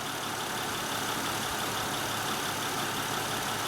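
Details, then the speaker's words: 2006 Honda Odyssey 3.5 L at idle after the faulty AC compressor clutch relay was found. Even compressor whir over the idle, clutch holding engaged without cycling; pressures and test light confirm the AC is working. "So now the air conditioning is working. I mean, based on the pressures that we have, and our clutch is engaged, the test light is lit."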